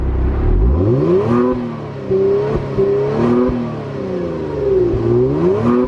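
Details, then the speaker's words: 2019 Kia Stinger GT1 twin-turbo V6, about 1 year and 10,000 miles: crisp start, then smooth revs climbing and falling cleanly with no knocks, rattles or misses; sounds healthy. "so while we're back here we probably should hear what this twin turbo v6 sounds like right let's crank it"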